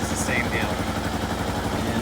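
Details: Kawasaki KLR650 single-cylinder after MegaCity Performance carburetor correction kit and mixture screw set to peak idle plus an eighth turn: steady, even thumping idle with no popping or hunting; previous heavy backfiring appears eliminated.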